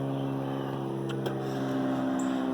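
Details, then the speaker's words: 1969 Evinrude 55 hp outboard after fixing erratic running by attaching a ground wire: smooth even idle, steady low drone, no stumbles or misses; owner ran it 45 minutes idling perfectly. "crank it up which is always cranked right up and I sit there and let that sucker run for about 45 minutes idle perfect never missed"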